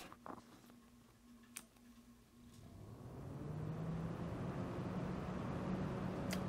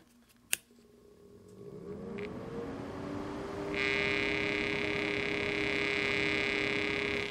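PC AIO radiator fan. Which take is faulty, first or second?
second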